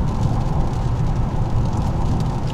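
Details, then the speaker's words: 2002 Lexus LS 430 with 312,000 km, driven after a timing belt replacement. A steady, even low roar that grows louder when the road changes to coarse-grained asphalt; tire road noise, the tires being noisy. "Вот я слышу шум. О, поменялось. Поменялось покрытие асфальтное. Шум усилился, то есть крупнозерновой"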